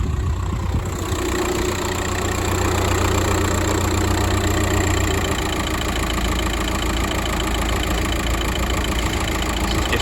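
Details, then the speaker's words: Car on a roadside call for a crank no-start, charging test at idle after the battery load-tested good (480 A against a 520 A rating): settled, even idle with a steady low drone, no knocking or stumbling; alternator and battery check out normal. "okay normal everything checks out alternate Divine battery seems fine"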